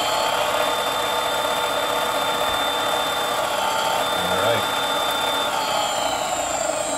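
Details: Sieg mini lathe motor after speed control wiring during rebuild, direction reversed by swapping two leads: smooth steady high-pitched whir at even pitch, no grinding or catching; motor running normally.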